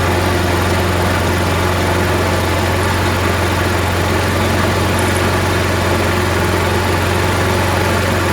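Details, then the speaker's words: Craftsman 22" mower, Briggs & Stratton Quantum 6.75 auto-choke engine, after carb cleaning, started on second pull: steady fast beat with slight shake, smoking at first, owner suspects oil got into the muffler while it sat; smoke subsided. "You saw it was smoking because during the time that it sat, maybe oil got into the muffler and it was burning it out. After we ran it for a bit, it subsided."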